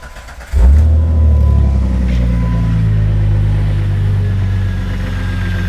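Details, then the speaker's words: Intermittent no-start and no-communication on a 2003 Jeep Grand Cherokee with no spark, injector pulse or fuel pump; pressing the PCM's left connector makes the relays click and the engine start at once into a steady idle. Poor contact at the PCM connector. "listen you'll hear the relays click over here watch i'll just touch it right here yeah and then and now it will start"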